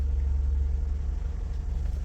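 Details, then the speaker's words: 2016 Toyota Sienna that had constantly running cooling fans, hard starting and rough running: after battery disconnection, coolant reading 93.2 °F, it starts right up to a smooth, steady idle with fans off. Normal idle. "and the thing is running as you should not up and down on the idle"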